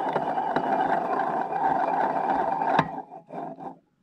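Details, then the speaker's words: MBK Rocket Minarelli vertical engine disassembled for rebuild, piston showing marks at four corners: hand-spun crankshaft bearing gives rough, gritty whirring rumble fading as it slows, worn crank bearing needing replacement. "voilà vous entendez le bruit de roulement ça va ça dégueulasse on flingue"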